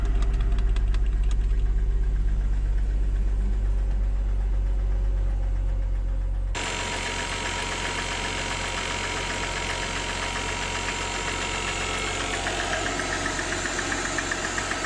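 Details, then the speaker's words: 2007 Mercedes E350 left sitting, cold start on a jump pack with a dead battery. A steady rapid knock of about four per second over the idle. Piston knock; new pistons fitted later in a rebuild. "As you can hear, the engine is knocking. So, I'm assuming this was the problem that made the previous owner give up on this car."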